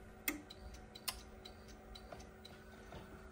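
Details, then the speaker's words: Newly installed Atag boiler with no heating or hot water, fault code showing: sharp irregular relay clicks over low hum as it tries and fails to fire; pump suspected faulty. "you can hear the relays there clicking like it's trying to get it fired and just not having none of it so I would suspect this is a pump issue"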